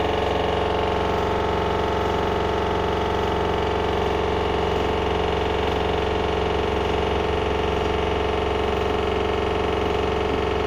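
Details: LG washer dryer combo bought November 2021 on 1400 spin: fast, regular jackhammer-like pounding about two beats a second over steady motor hum; machine level, not moving, nothing touching, no drum bearing play; cause unknown.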